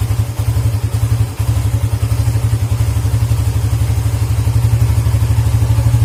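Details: Suzuki GSX motorcycle engine brought from high revs down to idle stumbles and nearly dies, with deep uneven thumping about four beats a second; the cause is a dirty idle speed control (ISC) valve, and the fix is cleaning it.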